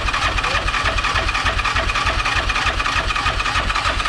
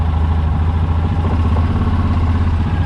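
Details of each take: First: Yamaha Rhino 700 rebuilt as a 777 stroker with stage 1 cam, first cranks after reassembly in neutral: even starter cranking about 200 beats a minute, steady ten seconds, no clunks or knocks; rotating assembly healthy. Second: Yamaha Rhino 700 just after engine rebuild with fresh parts: steady, even low rumble with no misses but idle sits a touch fast; idle speed needs turning down and throttle cable readjusting.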